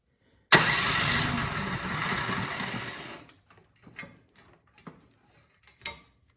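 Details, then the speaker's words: Cub Cadet 528 SWE snowblower that would not start, spark test with plug held against valve cover, also with a new plug: cranks for seconds but never fires, scattered clunks; very weak spark, weak ignition coil. "i mean there is one but it doesn't seem to be strong let's try a new spark plug this is uh just out of the box [Applause] very weak spark"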